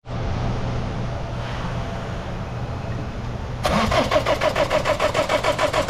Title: 61359 Ford mondeo 2016 year 124,895 km engine no start